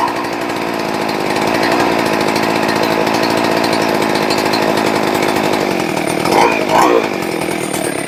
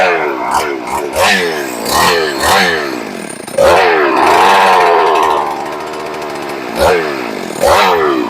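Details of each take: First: Rebuilt ported, decked Husqvarna 394XP chainsaw: high, steady two-stroke buzz holding even, then two quick throttle blips rising and dropping cleanly; runs healthy with good throttle response. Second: Rebuilt ported, decked Husqvarna 394XP chainsaw, first fire: repeated sharp throttle blips with revs sagging and stumbling between them, barely keeping running; idle speed set too low and needs turning up, throttle response good.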